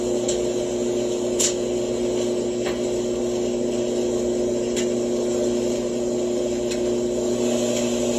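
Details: Frigidaire front-load dryer, model FAQG7001LW1, several years old, rear rollers replaced two years ago, thermistor twice: intermittent steady low drone, constant tone around 250–350 Hz over the tumbling hum; source not yet found.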